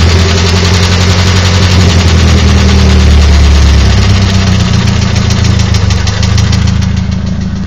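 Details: Nissan SR20DET petrol engine at low idle: loose fairly regular knock about three to four per second, gone at 1250–1500 rpm; new rockers and lifters, fresh Mobil 1 5W30, cams fine; owner suspects VCT gear.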